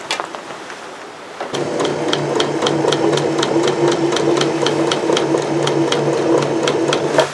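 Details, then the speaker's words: Newer sewing machine mid-sewing, compared with a 50-year-older mechanical machine. Soft, even ticking at about four stitches a second over a low hum, almost quiet. It sounds healthy. "Huge difference. It's more of a zen sound, relaxed, peaceful, almost quiet."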